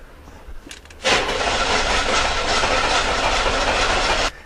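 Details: 1991 or 1992 Oldsmobile 98 with good fuel rail pressure, cranked while watching the fuel pressure gauge for injector firing; even cranking for about three seconds at roughly four turns a second, never fires; crank no-start.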